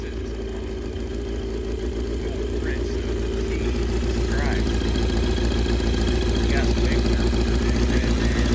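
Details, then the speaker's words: 1982 Yamaha XJ650 revived after sitting months, carbs cleaned, exhaust leak present: lumpy idle about 200 beats a minute with faint puffs; intake valves spitting mixture back through carbs, valve lash adjustment suspected needed. "May have to do some valve lash on these. Those intake valves are poofing a little bit of the mixture back out of the carbs there."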